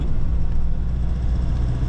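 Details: Nissan Navara D40 off-road build, driving after front-left hub/wheel bearing replacement (old one had play): only steady low road drone at speed, no hum or growl; noise gone, confirming the front-left bearing.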